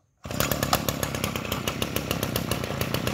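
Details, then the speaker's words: Kawasaki TA33 33cc two-stroke brushcutter engine with 37mm piston: quick start, then a steady, even high-pitched buzz with crisp regular firing and no misses; runs smoothly and very quietly, normal running. "Mấy bác nghe tiếng nổ nó chưa, nó nổ còn từng tiếng luôn, rất là vip. Máy êm ru nha, à, máy rất là êm, cực êm luôn, n"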